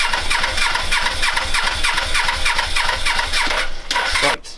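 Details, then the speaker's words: Suzuki GS500 scrambler, carbs just refitted with new inlet rubbers, on choke in cold weather, borrowed battery. The starter churns in even pulses about three a second for four seconds and never catches: crank, no start. "right so after lots of trying to turn that off i've flattened the battery um for the briefest second off camera typically it did actually fire so i have heard this engine running now"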